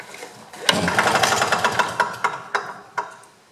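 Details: GRW DDR Simson BM40-2 two-stroke lawn mower after reassembly, with carb cleaner sprayed in, pull-start cranking: a quick run of rough chuffs about four a second fades as the cord pull slows. There is compression but it doesn't fire.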